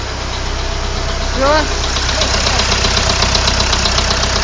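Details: Warm engine at idle with a steady knock of about four beats a second riding over it; engine knock, source not yet found.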